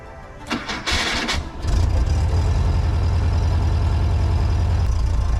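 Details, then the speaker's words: 1978 Volkswagen Type II Bus, sat 20+ years, freshly rebuilt engine just reinstalled with transmission and final drive: short crank, catches quickly, settles to a steady even low idle; normal cold start. "Not bad for a cold start."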